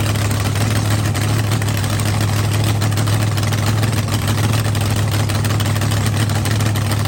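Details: Rebuilt blown V8 drag car on first fire-up after winter refresh, run on the trans brake, RPM switch set at 6,000 for the shift solenoid: deep, loud, steady lumpy idle, no ticking, knocking or misfire; frost on the scoop, no milky oil; healthy.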